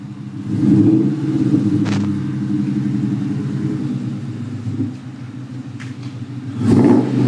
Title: Dang exhaust leak/problems